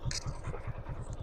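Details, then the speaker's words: Hero Glamour, carburettor model with digital meter: smooth, even single-cylinder idle with no ticking once engine oil reached the top. Earlier, an oil problem had made the timing chain and rockers very noisy; normal idle. "मोल आ रहा है engine वा आ रहा है और engine का आवाज पूरा smooth हो गया है इंजन में किसी प्रकार का कोई आवाज नहीं रह"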